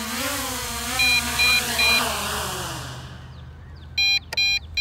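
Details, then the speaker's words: MJX Bugs 5W brushless GPS quadcopter, 7.4V 1800mAh LiPo; short bursts of high even beeps, about two and a half per second, over a fading motor whir: low-battery alarm that starts at 50% battery. "it's just that that noise and that starts to that noise when the battery's at 50% that's ridiculous"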